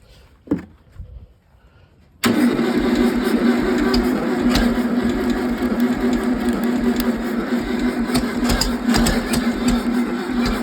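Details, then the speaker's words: 1968 VW 1600 dual-port engine on a stand, new rockers fitted; long cranking with a ragged uneven chuff, never catching: engine sitting at an angle so only cylinders 3 and 4 got fuel. Fix: level the engine. "first time I was trying to start it last night, the first night, it was at too much of an angle, so when I gassed it, it wouldn't get gas to the number 1 and 2. Only 3 and 4 were getting fuel."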